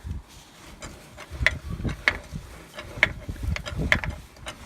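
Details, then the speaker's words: Transfer case from a Silverado that failed about 24 hours after it was running again following cylinder head work, turned by hand: irregular clicks and ratcheting knocks about every half second; worn-out internals, to be replaced with a rebuilt unit. "Uh, yeah, about 24 hours after I got it running from the cylinder heads, the transfer case decided it was done being a transfer case."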